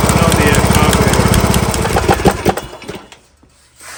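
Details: John Deere LA115 with 19.5 hp Briggs & Stratton engine that dies at idle and smokes black, after new spark plug: chugs unevenly, stumbles with heavy thumps, then dies; suspected carburetor flooding from a bad needle, running rich.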